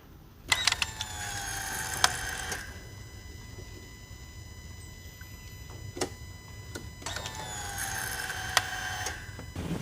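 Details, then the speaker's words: SCAG Cheetah II mower after replacing the high-pressure fuel pump: short bursts of a high, thin whine with faint clicks, higher pitched than the factory pump, as the new pump primes the fuel system; normal priming. "I can actually hear the fuel sucking into it this time. And this is just the process of priming it."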